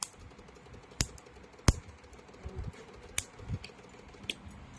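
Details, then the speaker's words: Honda City on CNG, shaking at idle in gear: ignition coil leak test, coil 1 fine, coil 2 leaking high voltage fairly strongly; sharp irregular snapping ticks about one to two a second over quiet hiss. "ตัวที่2มีรั่วนะครับรั่วค่อนข้างแรงนะครับ"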